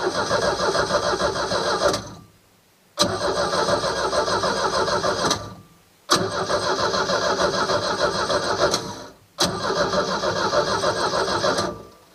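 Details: Four-cylinder engine that would not start, after tightening two loose ignition coil connections that gave no spark: repeated cranking catches promptly and settles into an even idle before cutting off; now starts reliably.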